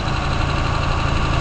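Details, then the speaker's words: 164 engine, cold and fully choked after sitting several days, valves recently adjusted: short, even, steady idle with no misses; engine sits still now, unlike before the valve adjustment; dirty fuel filter to be replaced; normal idle. "So you can see the motor is sitting really still. That was not the case when it was first started prior to the valves being adjusted."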